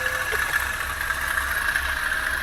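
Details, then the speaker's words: Toyota Avanza petrol engine idling, engine running rough again: a steady gritty whir over the idle, which the mechanic hopes comes from the outside belt area rather than inside the engine; suspects a failed bearing, since the water pump is new. "Oke ini suaranya kasar mudah-mudahan suara kasar ini ada di bagian luar ya panbelnya suaranya kasar mudah-mudahan sih kelar aja ya nggak di dalam mesin"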